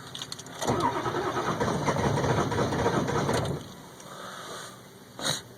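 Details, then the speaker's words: 2002 Ford F350 7.3L Power Stroke diesel cold start at about 34°F after two to three minutes of glow plug warm-up. Three seconds of steady cranking, acting like it wants to catch but no start; smoke and warning light. "again a no start I'll turn the key off what [Laughter] [Laughter] nothing it's acting like it wants to catch but it isn't"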